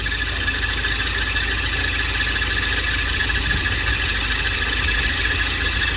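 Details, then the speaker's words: Volvo 940 at idle, recently jump-started after a flat battery: constant high squeal over the engine; water sprayed on each belt shows all three auxiliary drive belts slipping, power steering belt the main culprit, needing tension adjustment. "Let's try the power steering. Oh, there we go. That's the main culprit."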